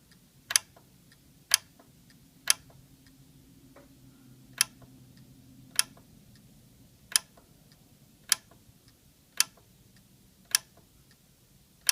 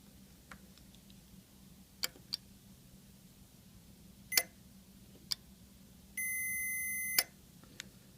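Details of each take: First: Yamaha RX-V795 receiver powered up, its 12 V 4 A power relay sparking and not making good contact; sharp, isolated clicks about once a second over near silence, about eleven in fourteen seconds; relay chattering from burnt contacts. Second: Yamaha RX-V795 receiver relay with previously burnt contacts, bench-tested with 9 V battery on coil and continuity tester on contacts: crisp single clicks as it pulls in, then steady continuity beep; relay clicking normally.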